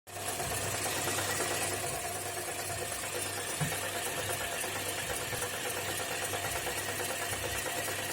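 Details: Toyota Corolla E150 idling very low at about 400 rpm: lumpy idle with a faint regular tapping knock about three per second under the engine hum; the knock disappears as rpm is raised.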